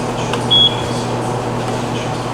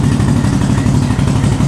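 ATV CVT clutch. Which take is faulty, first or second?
second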